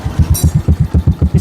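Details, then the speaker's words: Yamaha Jupiter Z (old) / Vega R New, which growled and would not drop back at mid rpm: steady, even single-cylinder idle with no misses; idle is normal. "Ini kita nyalakan mesinnya yang awalnya ngorok saat RPM tengah. Langsamnya normal ya."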